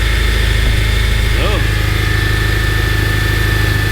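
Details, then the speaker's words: 2011 Honda Civic Si (8th gen) after crank pulley replacement, bolt torqued to 36 ft-lb plus 90 degrees, belt reinstalled; smooth even idle, earlier clunk gone, quieter, normal idle. "It's spinning a lot more smoother, and that sound that we was hearing, that clock, you don't hear it no more. So it sounds more cleaner, right? It sounds like more harmony, everything moving together."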